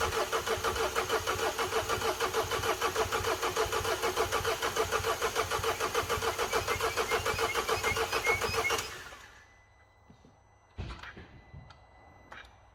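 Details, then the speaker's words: Mercedes W212 after timing chain job, fuel system primed, jump pack connected: strong, even cranking for about nine seconds without catching, pump audible; suspected fuel airlock, later starts after repeated priming. "Nothing. Right, still hasn't started. I'll try it again. I can hear the pump."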